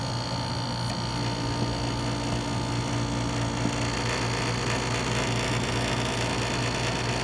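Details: Dometic RV rooftop air conditioner running: steady, loud droning buzz from the compressor plumbing vibrating against the housing, not a loose squirrel cage fan. Fixed by wedging foam behind the line.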